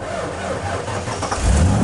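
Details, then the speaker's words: Truck that wouldn't start, after the owner reset a switch behind the passenger kick panel, cranks slowly and sluggishly for over a second before catching and running fine. The starter drags; a mechanic couldn't find the cause, which is unconfirmed. "you heard that that real slow elves motor starter dragon"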